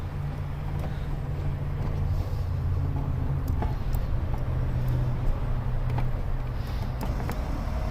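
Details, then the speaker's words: 2006 BMW 530xi 3.0L with air suspension fault code 5F97 EHC (compressor relay), compressor powered through jumper leads: steady low drone with constant hum, no knock or squeal; air suspension compressor running smoothly. "and i hear the compressor turn on listen to that so we'll see if the car starts going up"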